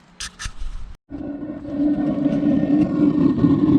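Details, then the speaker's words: RV propane water heater after clearing stink-bug debris from the propane tube (had slow yellow flame and soot): click, pause, then burner lights into steady even roar with tight blue flame, no sputtering; fixed and healthy. "it sounds better and that's the sound I'm familiar with so we got a nice tight blue flame what a difference so a simple fix we didn't have to take it to a service center nothing like that"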